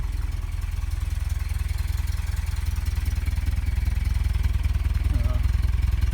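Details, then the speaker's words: 1990 Toyota Pickup 22RE rebuilt, LCE head, ceramic pistons, first start warming up: oil 116 degrees, 37 psi fuel rail, slightly rich, thermostat not open, steady PCV vacuum; even idle putter, no misses, ticks or knocks; normal. "Exhaust sounds good and looks good. I don't see any liquid splattering, condensation, any of that stuff. So that's good so far. Idle seems to be good."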